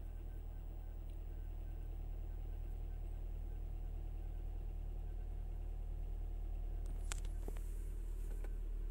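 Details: Chrysler/Dodge/Jeep with code P2173 (vacuum leak, high airflow) high idle when cold: smooth steady idle settling below 1000 to about 750 rpm as it warms.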